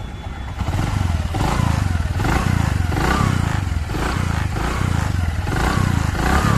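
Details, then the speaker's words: Bajaj Platina 100 ES after timing chain replacement with a 94-link chain (earlier chains soon became noisy): small single revs smoothly under light throttle in even pulses, no chain slap or rattle; timing chain sounds healthy. "और यहां पर देखिए bike हमारी बिल्कुल start है आपको यहां पर इसके अंदर से हल्की सी कोई किसी तरह की साउंड नहीं आ रही होगी"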